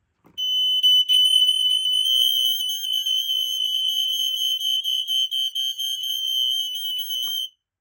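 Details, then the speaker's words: Smoke alarm demo board test of a Kidde i12060A (2021) alongside Kidde 1275CA, 1276CA, i12040A, i12080A and Fyrnetics 1285 units: piercing high steady pulsing tone with overlapping units for about seven seconds; the 4.6 units overpower the Code 3 units; alarms sound properly. "You could hear the 4.6 units overpowering the Code 3 units down here."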